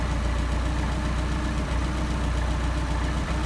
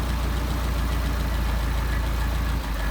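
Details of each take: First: Engine on freshly rebuilt Solex 44PHH carburetors during idle-mixture adjustment, set to best idle: low, even idle pulse at about 775 rpm with no stumbles or hunting; running smoothly. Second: Solex 44PHH carburettors, idle around 750 rpm while adjusting the idle mixture screws: steady low idle that dips and stumbles when a screw is turned too far, lean stumble.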